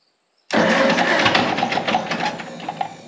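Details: Gasoline pony motor on a Caterpillar D6 cable dozer believed to be from the late 1940s to early 1950s, barn find that sat for years, fuel on and magneto on: starter cuts in abruptly, engine fires with rapid popping, then fades. Normal start.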